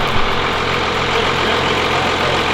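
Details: 12V Cummins diesel with Stage 2 cylinder head, idling with oil cap off; steady, even clatter with no puffing or pulsing from the filler, little blow-by, crankcase pressure healthy.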